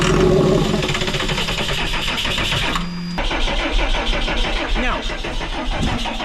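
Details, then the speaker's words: Cummins diesel in a Snap-On truck that has not run in 10 years cranks steadily, about three turns a second, but never catches; injectors cracked to bleed air, check valve checked, injection pump strongly suspected, not confirmed. "Maybe by some chance and miracle it will have fixed itself, but pretty confident it's the injection pump, and that's what we'll end up having to replace."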